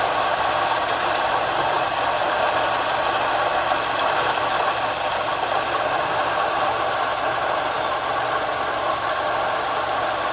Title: 2004 Forester Weird Noise Under Air Conditioning Compressor